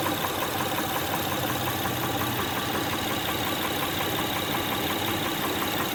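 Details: 2006 Honda Pilot 3.5L V6 at idle: light, steady ticking knock over the engine hum; valve cover removal found a defective camshaft lobe (plugs, timing belt tensioner, injectors checked fine); camshaft replacement ordered.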